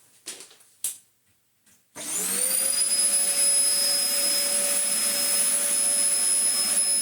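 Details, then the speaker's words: Dyson DC04 Zorbster carpet cleaner, stored two years in a shed, switched on again: after some clatter the motor spins up within a second to a steady, smooth high whine; a decent, healthy vacuum motor. "probably rusted shut blaster so yes we have ourselves a decent motor"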